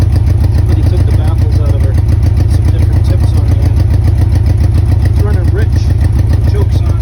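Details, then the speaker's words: 1984 Honda Goldwing Aspencade flat-four, probably last on the road about 2016, modified loud exhaust, cold start on choke in neutral: lumpy, uneven pulse about three times a second; running on three cylinders, one pipe stays cold, eventually stalls. "now you had a chance to see it running definitely on three cylinders as you can hear and eventually you'll just stop on it"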